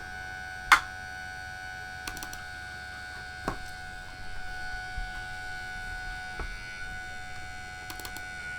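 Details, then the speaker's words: Old laptop floppy drive trying to read an inserted disk: sparse irregular clicks and a sharp snap over a faint hum. Owner suspects the drive belt is gone. Floppy drive abnormal clicking noise. "Yeah, I think it's safe to say the disk drive's dead, because I really don't think it should be making that noise. I think the belt's gone. I think it's very safe to say the belt's gone."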